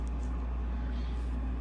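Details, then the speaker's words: Ham radio station: a constant deep 60 Hz hum, with 120/180/300 Hz products, heard through the speakers once the power amplifier's transformers are energized; the transformer flux is inducing hum into the audio. "I don't know if you can hear it but you can actually hear the hum the 60 H hum coming through my speakers vibrating the desk almost a little bit"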